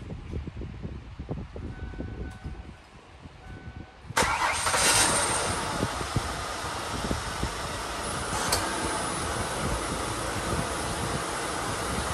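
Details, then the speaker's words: 2004 Mercury Sable (Ford Taurus) 3.0 DOHC after replacing the front valve cover gasket: cranks and catches at about four seconds, then a steady, even idle with no misses or ticking and no leaks seen; normal idle. "all right it seems to be rning okay uh don't see anything leaking out we'll let it run here for a few minutes"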